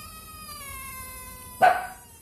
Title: Bad Radiator Cap Sounds Like A Rubber Chicken